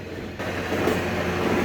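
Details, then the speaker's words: Toyota 4Runner spun up on a lift: a constant coarse growl that rises slightly with speed comes from the right rear axle bearing. Stethoscope checks at the differential and pinion sound normal, not the carrier bearings first suspected. "Here I got it spinning up on a lift. You can hear that noise. That's all coming from the right axle bearing in the rear."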